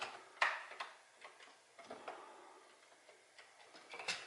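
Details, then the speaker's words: Commodore 1541 disk drive, after years in a shed, loading a directory on a Commodore 64: irregular clicks and a faint scratchy grind as it struggles to read the disk. "a kind of a grinding noise you can probably hear that so this one that says to wait approximately one and a half minutes it is not liking that disk"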